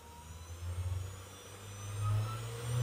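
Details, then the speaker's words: CNC spindle spun up with its speed knob: a smooth, low whir climbing in pitch and loudness with no rattle or grind, reaching its maximum noise; normal, much quieter than a router. "aí e não esse ruído seria o máximo tá esse é o máximo de ruído que ele vai fazer"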